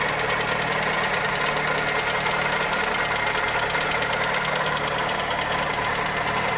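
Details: Toyota Corolla EE90 with 2E engine at steady idle: fast light ticking, about three or four per second, unchanging; valvetrain or connecting rod suspected, cause unclear.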